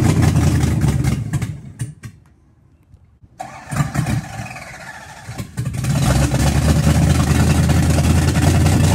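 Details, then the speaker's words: Car "Betsy" just after camshaft break-in, idle set 100–200 rpm higher, carb still being tuned: engine revs, then sags and nearly dies about two seconds after throttle, stumbles back to rough idle; stalling after revving. "then everyone Revit Revit give a gas and then just die like and slowly dies out it may be like after I revered oils for like two seconds and then dies"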